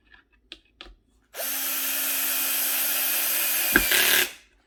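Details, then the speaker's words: Drill driving screws while installing a ClosetMaid closet organizer: even high-pitched motor whir for about three seconds, then a brief clatter as the clutch slips at its set torque so screws aren't stripped; normal. "By the way, that sound you're hearing is, because I have my drill set with a ratchet. It reaches a certain torque and it just starts ratcheting, and that way I don't kind of run the screws out on it."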